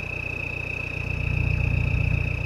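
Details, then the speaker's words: 2000 Toyota Land Cruiser Colorado VX J95, 1KZ-TE turbo diesel, heard at the rear: a steady high-pitched turbo whistle over an even idle with no wavering and no smoke; the normal turbo note. "nice toyota turbo whistle"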